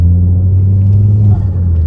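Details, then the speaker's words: Mk2 Ford Focus ST that had lost boost, with engine warning lights, now under load: deep, steady engine drone with an even tone as turbo boost builds normally. "can you hear that sound? That's because of the boost."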